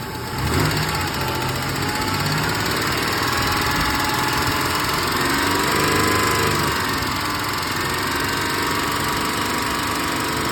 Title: 1996 Tacoma ticking sounds